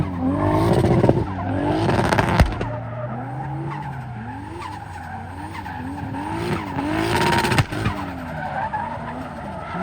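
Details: BMW E36 with 2JZ engine, drift use: revs rise and fall with tyre squeal as the engine stumbles and pops under load, a misfire now in first, second and free revving; erratic AFR, owner suspects it needs a retune after running rich.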